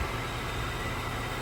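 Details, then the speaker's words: 2007-2011 Honda CR-V idling after a temporary welded repair of a rotted exhaust resonator. Quiet, steady idle hum with no puffing or ticking from the pipes. Exhaust sealed, nice and quiet; normal idle after the repair. "Oh, perfect. Doesn't look pretty, but it does the job. No leaks. Ah, nice and quiet."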